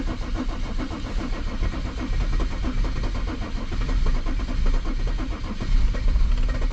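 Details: Mercedes W210 E 300 Turbo Diesel, towed in with crank-no-start, cranks long and steadily without firing. A fuel-pressure problem (strong raw diesel smell) or glow plugs are suspected; battery is low and no trouble codes show.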